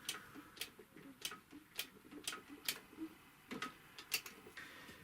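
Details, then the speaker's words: Typical GC 2605 industrial cylinder-bed triple-feed sewing machine, never oiled and completely dry, turned by hand: sharp dry clicks about twice a second with faint squeaks; dry mechanism squeak, to be oiled with I-20A industrial oil. "сама машина она практически никогда не смазалось сухая полностью везде так откручиваем крышку здесь абсолютно сухой я так думаю что изначально даже не смазывала ну вот даже слышно что здесь от скрипа идут"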